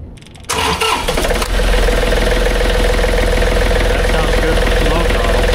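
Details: John Deere 3520 tractor diesel after replacing and adjusting the throttle cable, at full throttle around 2800 rpm: fires up quickly into a steady, even diesel clatter with no misses or knocks; normal full-throttle run.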